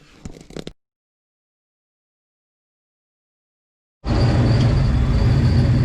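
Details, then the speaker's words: Ford Bronco idling in garage after exhaust leak fixed, a loose flange bolt rather than a feared cracked exhaust manifold: steady even idle, deep exhaust note, no ticking or puffing. "So, got the exhaust leak fixed. It was literally just a loose bolt on a flange."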